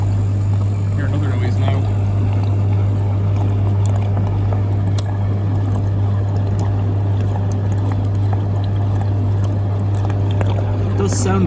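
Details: Beko DTIKP71131W heat pump tumble dryer, initial testing: steady low mains hum from the condensate pump with a watery gurgle over it, like sucking air or running dry; possibly runs continuously, no water seen pumped out.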